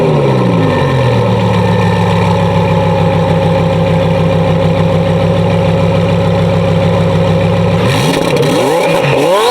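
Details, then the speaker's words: 2017 Audi R8 V10, 55K miles, straight-piped exhaust with turbos fitted; free revs recorded beside the exhaust, camera off to the side; revs climb quickly, hold a loud smooth even howl, then drop back cleanly: healthy normal free revving. "Like, oh my God, that is so beautiful. Like, I would rather listen to this over any other sound out of any other car."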